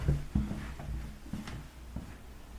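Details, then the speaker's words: Shower floor being torn out: grout joints cracked, pan barely thinset, hole in subfloor; dull creaks and low squeaks with each weight shift; squeaking floor from loose, poorly bedded shower pan. "but as you can see all these grout joints are cracked and listen to what's going on here this little subfloor is squeaking hear that"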